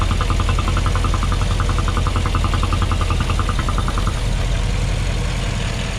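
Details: Porsche Cayenne Turbo 957, cold engine at idle: quick, fairly regular light ticking over the engine note for about four seconds, then fading; abnormal cold-start noise, cause unknown.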